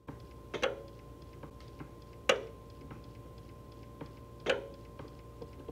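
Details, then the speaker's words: 2008 BMW E92 M3 V8 with newly installed valved exhaust; three crisp clicks about two seconds apart as the exhaust valve solenoid switches via programmed buttons, working normally. "but it works now you might be able to hear the click this should be closed"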